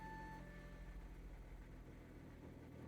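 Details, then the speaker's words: 3-litre engine, believed chain-driven, with decent service history: a brief whine at start-up, then it settles to a steady, even low idle with no knocks or rattles and sounds healthy. Normal start and idle. "Settles down to a nice idle. Sounds happy enough."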